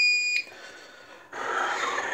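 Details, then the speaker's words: APC XS 1300 UPS with new replacement battery tested at full 24 V (two 12 V in series), low load: sharp beep at mains cut, fans wind down, unit goes quiet; fails on battery with power surging, cause unconfirmed. "so now we'll kill the power see what she does see that thing is not happy you heard the heard the fans spin down it was getting some surging of power so"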